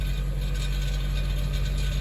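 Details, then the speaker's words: 2006 Honda CR-V at cold idle with check engine light on: steady low engine drone with fine tinny rattle on top; replacement catalytic converter fitted after theft failed, internals rattling, sounding worst on cold start. "You can kind of hear it rattle. Check engine light comes on."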